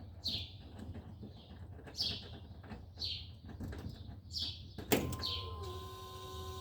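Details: 2000 Chevy C3500 with a crank/no-start complaint traced to a voltage drop in the ground cable: a few chirps, then the engine catches at about five seconds and settles into a steady idle, starting and running fine.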